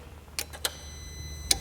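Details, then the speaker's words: Opel/Vauxhall Corsa with a no-crank, no-start fault. The yellow-violet relay control wire, driven by pin 1 of the multi-function control module, is grounded, and the relay switches with crisp paired clicks. The relay is switching normally. "as you can see right now we've got a power at the control wire which is normal because the power comes through the coil of the relay and when we ground that coil the relay should switch"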